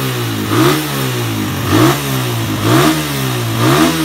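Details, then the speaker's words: Suzuki Satria FU 150 that started hard and would not rev is now running after a ground wire was added from the black-white wire to the engine. It revs smoothly up and down about once a second without stumbling. Fault traced to a corroded or broken ground wire. "Oke, jadi masalah Masalah motor Satria yang susah digas atau enggak mau digas itu masalahnya ada di bagian ground-nya."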